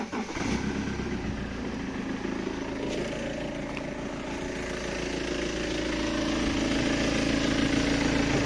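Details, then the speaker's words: 2007 BMW 320d M Sport auto diesel, 182,000 miles, idle after temporarily fitting a disconnected part: even loud clatter unchanged, no quieter than before; loud idle source still unidentified. "it's not any quieter I don't think so obviously these aren't airtight"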